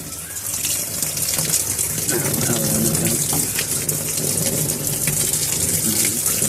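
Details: Samsung WA85G top-load washer after replacing the faulty pressure switch that let it overfill without cutting water: steady hissing fill at the lowest water level, no surging; it then shut off and spun, a normal fill.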